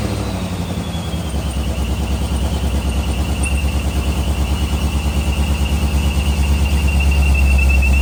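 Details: C6 Corvette that cranked but wouldn't start, fault a bad injector stuck open, all injectors replaced: engine catches and settles into a steady, even idle with a faint whistle overhead; normal idle.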